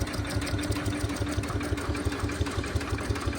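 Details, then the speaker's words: 1977 Winnebago abandoned 20 years, driven 400 miles on only 7 cylinders, running the starter to circulate oil: rhythmic cranking pulses about three per second with a faint slapping knock mixed in; slap noise, cause unknown. "I think those are okay noises there there's a little slap noise in there that I don't like"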